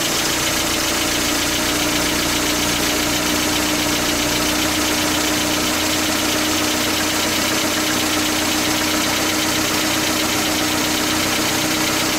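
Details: 1977 Toyota pickup, rebuilt engine after fitting a new rocker arm assembly and adjusting valve lash: steady, even idle with a quiet top end and clear carburetor hiss; the earlier metallic clanking is gone.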